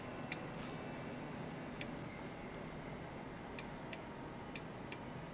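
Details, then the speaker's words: CNI 8 relay output board (Modulo UR-EIO/C) on a 24 V bench test: sharp, crisp relay clicks at irregular intervals over faint room hum as each relay energizes, with LEDs lighting; all switch normally. "I can hear that relay clicking and this led LED one is turning on"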